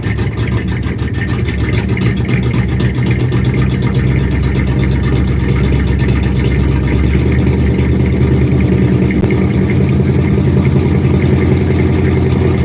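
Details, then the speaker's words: 1967 Ford F250 Crewcab after fuel tank cleaning and line replacement: loud, lumpy, hunting run that sags and recovers as if fuel-starved; owner suspects the tank is still too dirty, air bubbles seen in filter. "so I think that the tank is just too dirty for this thing."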